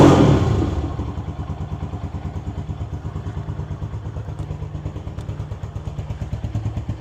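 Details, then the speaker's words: KP Mini 150 single-cylinder bike with Nibbi carburetor and new muffler (baffle in), cold start without choke after sitting a couple of days: catches and settles into a steady, deep thump about three and a half beats a second; healthy idle. "got a nice deep tone to it. Sounds really good."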